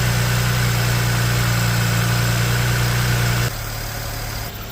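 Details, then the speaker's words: 2009 BMW 335i right after alternator replacement, with battery charging at about 15.2 V. Smooth, even idle with a steady low hum and no ticks, knocks or squeals, then a clean shutdown: normal idle. "Well, there you have it, guys. She's running. Sounds good. I don't hear any funny noises."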